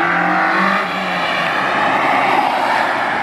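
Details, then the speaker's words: Honda EP3 with a stock K24 engine swap and a small, restrictive exhaust, drive-by at high revs around 6,000 rpm: a sharp intake howl that hardens near the top, mostly intake and tyre noise. VTEC now engages, which it did not before. Normal VTEC engagement. "definitely hear VTEC now it didn't do that before"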